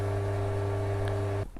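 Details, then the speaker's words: Old mini lathe, about 20 years old, after replacing snapped drive belt: smooth, steady motor hum at constant pitch with no belt slap or squeal, then switches off; quieter than before, normal running. "Well, I don't know whether you can pick that up on camera, but it's working fine and it's quieter than it was before."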